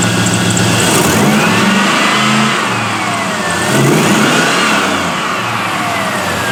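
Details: LS-swapped Mazda B2200 V8 at idle after replacing a failed Bosch 044 fuel pump, with fuel pressure at 50 psi: steady idle with a gentle rise and fall in pitch from a whirring accessory, no misses or knocks. Normal idle.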